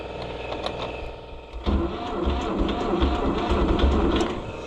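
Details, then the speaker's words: Neglected Oliver 1250-A tractor just bought, jump pack wired directly to the starter, no dash lights: the starter groans and turns the engine over slowly and unevenly, about three labored compressions a second. The starter sounds sick, and the owner plans to swap it. "Yeah, she turns pretty slow."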